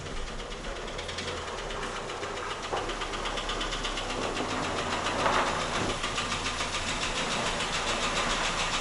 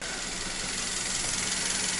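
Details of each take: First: Toyota Rush with 3SZ-VE engine, about 72,000 km claimed, at idle: a steady, hollow knock about three to four times a second, piston slap. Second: Toyota Rush 3SZ-VE one year and 10,000 km after piston-knock repair (bored, 0.5 oversize pistons, 5W-30), warm idle: smooth soft even hiss and low hum, no knocking; normal.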